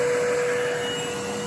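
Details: Bissell Lift-Off Revolution Turbo Select 3760-T bagless upright vacuum, made October 2005, running: steady motor drone with one clear constant tone, nothing rattling or surging. Normal running.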